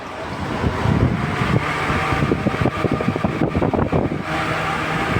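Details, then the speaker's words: Cooler fan motor that used to stick and jam (turned only when spun with a screwdriver) rechecked after repair, switched off and restarted: spins up with steady low hum and smooth whoosh, no catching or dragging; running normally. "આપણે તકલીફ જે હતી કે ચોંટી જતો હતો પંખો, એ આપણે ચેક હજી એક વાર કરીશું."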